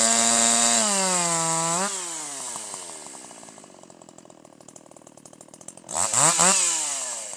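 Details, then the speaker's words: Older piston-ported chainsaw with the H screw set at 1.25 turns: screams clean at high revs with slight four-stroking out of the cut, settles steady and powerful in the cut, then snaps back up crisply; high-speed mixture correctly tuned. "This time you'll hear even higher RPM, better power, a little bit of force stroking, a little bit of force stroking out of the cut, and full smooth powerful operation in the cut. That's what you want."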